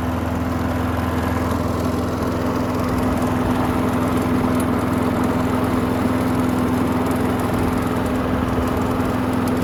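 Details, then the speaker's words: Curbside Craftsman walk-behind mower that wouldn't start after hitting something, given fresh gas: the small single-cylinder holds a steady, even drone with no misses, surging or knocking. It runs good; only the handle hardware needs tightening. "Runs good. Just need to tighten up some of the hardware on the handle, but other than that, give it a bath and send it on its way."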